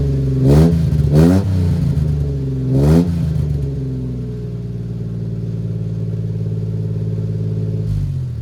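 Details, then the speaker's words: 1993 Suzuki Carry mini truck with a new cheap aftermarket muffler replacing the rotted, likely original exhaust; three quick throttle blips then steady low idle, deep even tone, no rasp, like a Civic but deeper. "got a pretty deep tone to it uh it's kind of a more enjoyable deep tone than the raspy old Muffler though [Music] yeah it kind of does sound like a Roy style Civic but a little bit deeper of a tone"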